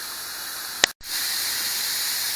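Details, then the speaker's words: Pressure canner loaded with ground beef, venting before the 10 lb weight goes on (elevation under 1,000): a strong, even high-pitched steam hiss. This is the normal full vent, which is timed for 10 minutes. "This is the sound that you want to hear to feel the hot steam, and to see the water coming out. This is what you start timing 10 minutes"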